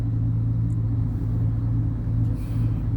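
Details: Chevy V8 previously misfiring on cylinder 8, after fixing shorted oxygen sensor wires: deep, steady idle with no stumbles; scan tool shows all cylinders aligned, running normally.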